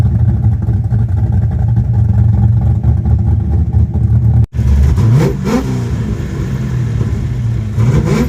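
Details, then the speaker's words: Carbureted V8 car sitting 27 years, after clearing a flooded engine: deep, steady rumble, blips up and settles cleanly without stumbling; running well and charging, though the fuel pressure regulator is dead and overpowering the carburetor floats. "Oh, she sounds mean. All right, now that I'm over my rookie mistake of flooding the engine, she's running great now."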